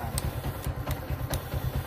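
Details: Yamaha Exciter 135 single-cylinder keeps idling evenly after the key is switched off and even removed; a headlight wire touching the battery feed keeps the ignition powered, cause of the run-on.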